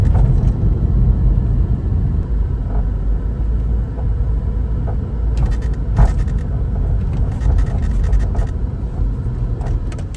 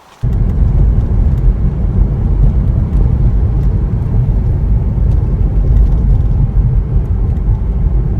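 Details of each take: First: Porsche 986 Boxster driving: low road rumble with scattered hollow clunks over bumps from behind driver and passenger sides, worsening over months; suspected worn rear control arms (tuning forks) or sway bar end links, both replaced. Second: Porsche 986 Boxster test drive after replacing rear tuning forks (lower control arms) and sway bar end links; steady road rumble and tyre noise, rear hollow clanking gone over bumps; suspension now healthy.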